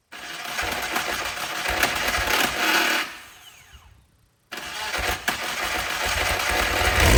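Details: Brabham BT21 historic one-litre F3 engine, first cold fire-up after rebuild with new crank, balanced conrods and new sump: catches, runs busy and rough, dies, refires and holds steady; oil pressure looks good. Normal start and run.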